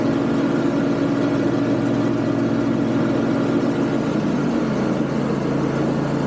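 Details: Yard Machines MTD riding mower, deck belt had kept jumping off: loud constant roar with harsh steady tone from the deck over the engine, burning smell; worn spindle bearings, new bearings or kit needed.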